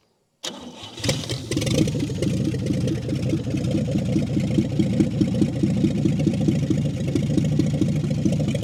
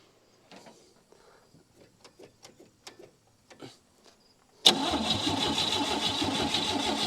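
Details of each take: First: 1959 Chevy Biscayne after years in a salvage yard, idle screw backed out two to three turns, carburettor leaking from the bottom: fires first turn and settles into an even, steady low idle with no knocks or ticks; normal idle. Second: 1959 Chevy Biscayne sat years in a salvage yard, fresh battery, gas poured in, cranking: steady even cranking after a few clicks but never catches; weak spark from corroded points.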